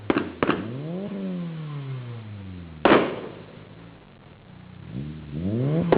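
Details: 600 bhp Mitsubishi Evo 8 MR: sharp revs rise and fall with loud cracking bangs and pops as the throttle closes, anti-lag/misfire popping through the exhaust.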